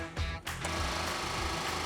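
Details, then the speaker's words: 1979 Jeep Cherokee after sitting over 20 years: electric fuel pump powered up gives a fast, steady buzzing rattle that holds level, still bad after fixing grounds; pump needs replacing. "Oh, that sounds just as bad as ever."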